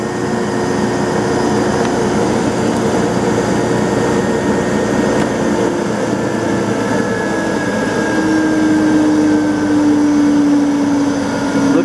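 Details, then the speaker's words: 10 hp Brook motor running at no load in an Allis-Chalmers rotary phase converter build; its poorly balanced pulley with two bolt heads makes a loud hum with a rough, uneven throb, and the motor walks across its cardboard pad. "I set that one on cardboard because that pulleys not well balanced and due to vibration will literally walk around on the concrete floor in search of a person to catch their pants leg in those bolts"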